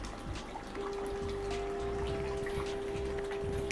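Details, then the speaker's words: Fan run from a DIY power box's 220V modified sine wave inverter: steady mid-pitched buzzing hum from switch-on, the reason for replacing it with a pure sine wave inverter; motor hum from modified sine wave inverter. "เสียงสตาร์ทมันจะมีเสียงเสียงทำปๆมันจะเป็นเสียงแซึ่งเป็นสาเหตุให้เราต้องเปลี่ยนนะครับ"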